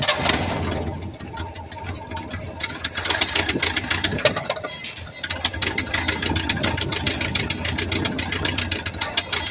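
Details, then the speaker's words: 1967 Chevrolet C20 V8 pickup, first start in several years with fuel poured into the carburetor: cranks, catches, then runs with a sharp fast ticking over the idle; exhaust leak from a cracked exhaust manifold, to be fixed. "That did pretty good, actually. I got an exhaust leak. I got a cracked manifold right here."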